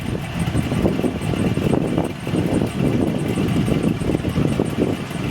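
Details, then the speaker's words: 284K-mile Chevrolet Silverado V8 just fitted with a Chopacabra cam, new valve springs and oil pump, coolant not yet bled: choppy loping idle with uneven lumpy beat and steady exhaust rumble; normal lopey idle with performance cam. "In case you were wondering what a cammed Silverado stock cammed Silverado sounds like. Dude, she's dialed."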